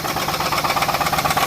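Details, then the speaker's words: 2006 Pontiac G6 after oil filter housing gasket replacement, oil possibly overfilled: rapid, even knocking over idle, several raps per second; owner thinks it's probably a rod knock, not confirmed. "So anyway, I'm gonna let you hear the knocking sound it makes now. It's probably a rod, but you hear that?"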